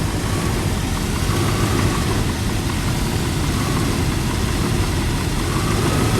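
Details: Range Rover Classic LSE soft dash V8, idling while ignition timing is set to 6 degrees before TDC: deep, even rumble with a steady note and no knocks or misses; idling smoothly.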